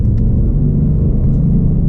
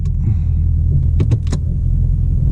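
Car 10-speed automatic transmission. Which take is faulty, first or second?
second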